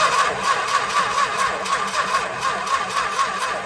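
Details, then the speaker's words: 1964 Chrysler Newport, points ignition with start bypass wire, after sitting 2.5 years: starter drags slowly, about a beat per second, never catching; battery too weak, later started with a jump box. "Yeah, there's not enough battery left to start."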